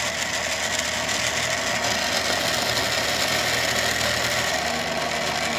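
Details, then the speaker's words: 3D-printed enhanced rotor on a small motor, spinning at higher rpm: constant loud rough scraping hiss over a fast spinning drone; rotor shaft tip rubbing its backing plate, cause unclear to the builder. "to see if I hold it still really noisy and I don't know why that is"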